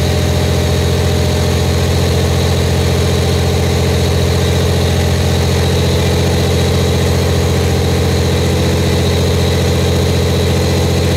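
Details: Buick Grand National freshly rebuilt engine, first start during cam break-in, varied 1500–2000 rpm for 10 minutes, no thermostat: steady, even fast idle with a smooth low rumble and no knocks or misses; good oil pressure, temperature rising.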